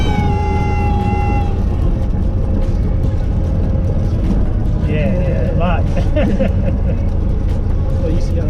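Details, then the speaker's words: Light training aircraft on a student pilot's 10th flight lesson, landing flare in gusty wind. Over cockpit engine and wind noise, a steady high reedy tone for about 1.5 seconds, then warbling squeaks: the stall warning horn. "listen for the star horn you'll hear that obnoxious squeaking sound"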